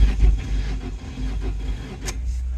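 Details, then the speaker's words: 1997 Ford, low mileage, automatic. Heavy, deep thuds pulse with each turn as the engine cranks and briefly catches. A bottom-end knock that the owner believes is a rod knock, and the car is thought to need a new motor. Cause suspected, not confirmed. "I mean that sounds like a rod knog for sure"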